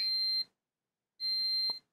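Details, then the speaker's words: Aliexpress HDMI switch, multimeter in continuity mode probing the IR receiver wiring: sharp high beeps about half a second long with short gaps, showing continuity on a wire pair that should be open. "Grand słychać że piszczy teraz który to jest grand to jest złotych tym wypadku Sprawdzę jeszcze Sorry ale coś mi tu nie gra"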